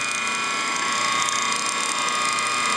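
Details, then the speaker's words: Antique ring-oiled Wagner 2 hp motor: runs well but steady hum under a fast, uneven ratcheting rattle and hiss, bearing end too hot to touch; worn-out bearing, new one being ordered. "It runs well. But this bearing is shot."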